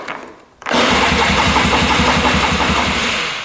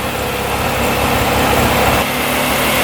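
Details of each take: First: 2002 Polaris Scrambler 400 4x4 ATV: steady fast cranking, about four turns a second, no firing; seller had replaced battery and fixed electric start, unknown whether spark, compression or carburetor at fault. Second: 2002 Polaris Scrambler 400 4x4 ATV, restarted without choke after sitting about an hour: steady, even single-cylinder idle with constant speed, no misses or knocks; running well.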